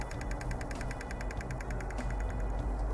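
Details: Common-rail pressure control valve of a 2.0 diesel engine, checked for code P0088 and driven by a pulse generator from 2 ms up to 18 ms (39% duty): quiet, quick, even ticking about three per second over a low hum; the valve responds normally.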